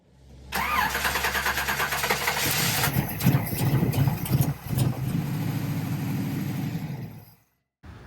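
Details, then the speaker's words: 1969 Camaro SS, not started in six years, with owner-rebuilt Edelbrock four-barrel carburetor and no choke cable yet, started cold: cranks about two seconds, catches, runs lumpy and cuts out; doesn't like being cold. "it does not like being cold"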